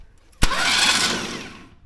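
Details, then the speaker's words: Pulling tractor being reassembled after breaking at Waterloo, valve cover and front cover work done: starter spins fast and freely about a second with no compression chuffs because the spark plugs are removed; cranking to check starter before oiling. "I guess I kind of forgot that there's no spark plugs in it. I was gonna say, it sounds like there's no compression, because there's not."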